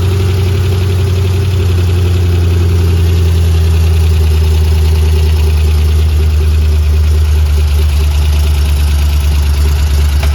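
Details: 3V 4.6 Mustang GT with a newly installed engine, clutch, flywheel and headers: deep, smooth, steady idle with an even low burble and no misses, ticks or knocks. Normal idle.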